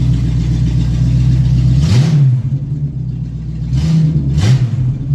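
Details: Open-exhaust 350 small-block V8 with no exhaust fitted, pedal barely pressed, being moved to the lift after a partial rear brake bleed. Loud burble with crisp throttle blips rising and settling back cleanly to an even idle; healthy engine.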